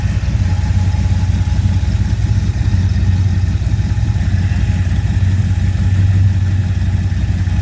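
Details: 1979 Ford Fairmont two-door police car running on five gallons of fresh fuel, transmission just topped up: a low, smooth idle with an even pulse and no knocks, ticks or stumbles.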